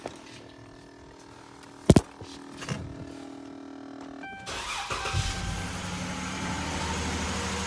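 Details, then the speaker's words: 2011 Dodge Charger 3.6 after engine and cooling repairs: quiet ticks, starter catches around four seconds, settles into steady even run, loud at first start then calming; some belt noise noted; clean healthy start. "But of course, you know, the engine always loud at a full start. And as you hear now, it's calming down."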